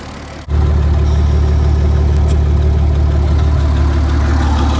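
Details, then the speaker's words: Roughly 60-year-old International 6x6 army truck, possibly retrofitted with a crate engine, started after about 10 years sitting: deep, steady, even idle with no piston, gudgeon or tappet rattle; healthy engine. "Just the way it runs, you cannot hear any any piston rattle or gajon rattle. Can't hear the tapets rattling. Everything's just just running just like a brand new engine, I'd say."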